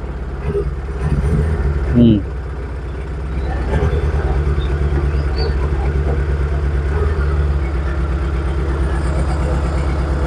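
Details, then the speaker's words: Proton Wira petrol engine that stumbles when driven fast or warm after about 5 minutes: uneven, stumbling rough idle from a misfire; ignition suspected, and the ignition coil is found leaking, shorting when touched. "Wah. Ni macam semput sikit ah. Macam kita check tengok sama ada api atau minyak"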